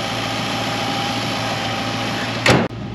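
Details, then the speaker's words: 1964 Ford Mustang V8 (D code), warm idle: smooth and even. The small exhaust tick heard at start, likely a small exhaust leak, disappears once the engine warms and the joints expand. Nothing alarming. "d'autant que le moteur tourne très bien il y avait certainement une petite fuite d'échappement en fait dès que le moteur pour ça chauffait un petit peu les joies se dilate un peu et on n'entend plus le petit a échappé"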